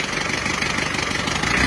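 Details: Diesel: harsh uneven clatter on the idle with a dead-sounding cylinder beat, traced to a dead injector nozzle, replaced and serviced.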